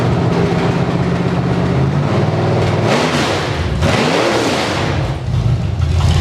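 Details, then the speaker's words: Engine from Creampuff (squarebody truck) on a test stand with open headers, no load, water pump belt off, running briefly on leftover carb fuel: loud raw open-header bark, quick blips rising and falling crisply back to idle; healthy, snappy, normal running. "I just wanted to hear it run on the stand. And being open headers and no load on it, this motor sounds way better than it ever did."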